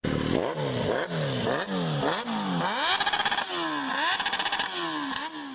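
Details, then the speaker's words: Honda Fan 125 motorcycle, rev blips: a dry rattling clatter rides over the engine at higher revs. The cylinder liner and piston were found heavily scratched. Finding: piston slap from a scored cylinder. "então galera de burro barulho da motinha tayl a camisa do pistão todo arranhado tá machucada"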